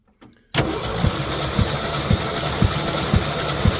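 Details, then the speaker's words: 1966 Ford F100, hot, compression test of one cylinder: uneven cranking beat with one stroke lighter each cycle; low compression, 30 psi dry, wet test next. "Okay. We are indeed at 30, so now we get to wet test it."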